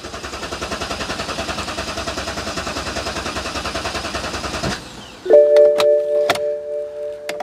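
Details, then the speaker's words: BMW 650 (E64) N62 engine, after the oil filter cover blew and it was driven 500 yards with zero oil pressure, new cover fitted: second crank with ignition coils unplugged to build oil pressure, even starter churn about four pulses a second, no firing. "right well that's one go at it let's give it another go that should be pressure up"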